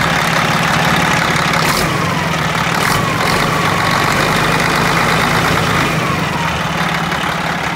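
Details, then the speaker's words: 1980 Chevy Bison truck, old 1674 diesel with glow plugs, just after starting: loud clattering rattle over steady, uneven idle; owner says it cackles really bad on start, cause not pinned down. "she cackles really bad when she starts"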